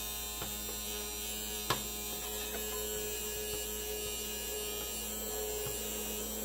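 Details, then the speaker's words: Optoma TWR1693 DLP projector, light tunnel being replaced for a left-side shadow, powered up without a lamp: steady high-pitched hum with faint ticks from the spinning color wheel once main power is on; color wheel noise. "that's the color wheel."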